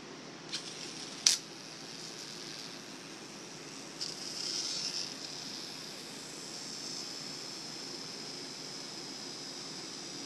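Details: Abu Garcia Orra Inshore baitcasting reel after upgrade to Boca ABEC 7 orange-seal bearings and Revo drags: a couple of sharp clicks, then a soft, even high whir as the spool spins freely; smooth free spool spin.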